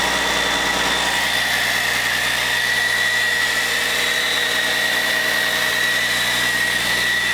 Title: Caterpillar C13 first run after overhaul - Once upon a time in WIHURI CAT